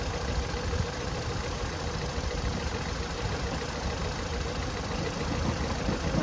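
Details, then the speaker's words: VW Golf Mk5 2005 1.6 FSI petrol engine idling unevenly, shaking, with a lumpy stumbling beat from a cylinder misfire, code P0302; spark plugs and a coil pack to be replaced. "all right so check this out look how much the engine is shaking"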